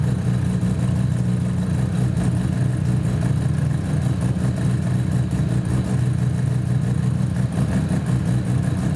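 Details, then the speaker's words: Mazda FC RX-7 rotary engine, which the day before had sounded like it was running on one rotor: a smooth, even, steady drone with no misses, a little smoky: normal running. "yeah that's how it was supposed to sound it did not sound like that yesterday it sounded like a lawn mower running on one rotor"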